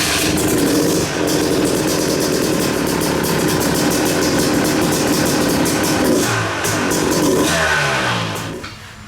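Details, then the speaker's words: Yamaha YZ250 two-stroke with a newly installed Smart Carb SC2, kicked over on choke: it catches and keeps a ragged, slightly uneven crackle; runs but still wants carb tuning, cause not confirmed. "right, so it seems all right. I don't love it yet."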